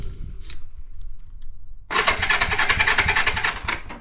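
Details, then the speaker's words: 1973 Honda CB350G, not run in 10 years, after cleaning points to restore spark, choked, carb still leaking: fast steady cranking with a few irregular firing pops, catching briefly but not running. "We're leaking fluid still, but let's give it a try. Man, I heard it kick over like a little bit."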